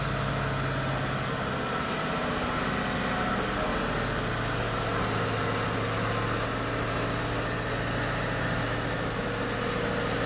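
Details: Engine with a low oil pressure warning light drops from a light rev and settles into a smooth, steady idle with no knock or tick; mechanically healthy, normal idle.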